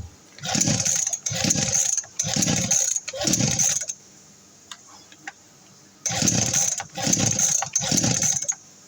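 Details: RBC411 two-stroke brush cutter that won't start: seven quick pull-start rasps, each dying away without the engine ever catching.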